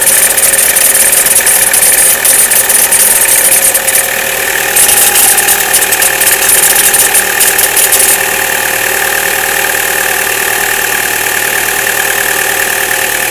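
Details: Chevrolet Cruze, cold start below 0°C: a fast metallic ringing tick at about three per second over a steady idle hum, disappearing after about a minute; no noise at 0°C and above; source undetermined.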